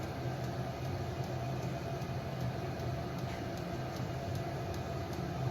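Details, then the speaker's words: Vevor diesel heater after a soot clean-out, running a thin diesel and 2-stroke gas mix: steady low roar of a lit burner with a crisp, regular fuel-pump tick underneath; flame lit and the heater running normally. "we got a flame. You can hear the flame. If you can get over that tick, you can hear the flame light."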